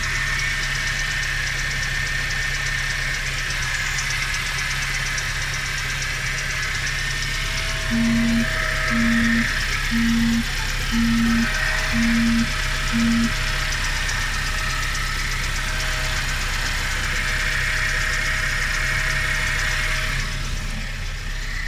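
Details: Nissan Juke engine running steadily with a faint tone, then six low pulsing knocks about a second apart; owner cannot identify the weird noise.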